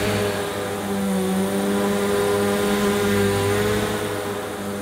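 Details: Electrolux Cyclonic Lite bagless upright vacuum from around 2005, new in box, on the shortest height setting over carpet: steady motor hum with an audible brush whirr; running normally now that the cyclonic unit is likely seated properly.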